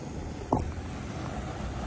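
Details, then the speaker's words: Car AC cabin blower after cleaning and maintenance of the blower fan: steady, even rush of air with no rattle, squeak or ticking; the earlier annoying noise is gone and it sounds normal. "normal, así es. ¿Ves que ya no tiene aquel ruido molesto? Claro que ya no lo tiene."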